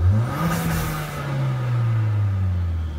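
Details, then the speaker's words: 2017 Kia Soul Turbo with aftermarket intake lacking the recirculation plug: engine revs and falls back with a brief airy hiss on throttle lift as the recirculation valve vents compressed air to atmosphere like a blow-off valve; no check engine light expected. "very nice so I definitely have a blow off from that recirc valve"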